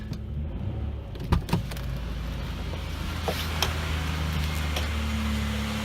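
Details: 2004 Chevrolet Impala 3400 V6 after fuel pump, fuel filter and fuel pressure regulator replacement, on jack stands: a few clunks at key-on as the pump primes, then a low, smooth, even idle with no misses; no leaks at the regulator.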